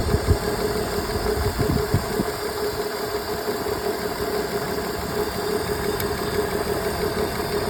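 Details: BMW E46 with check engine light on: uneven idle with irregular dips and stumbles breaking the rhythm; a misfire at idle.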